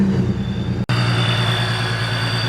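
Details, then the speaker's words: Supercharged 3.7 V6 Mustang with ProCharger, after shaving both brackets to fix belt misalignment causing belt dust: even, steady idle, constant low drone, no squeal or belt rubbing; healthy after the fix. "all right well just ran the car everything seems good so only time will tell if this does good"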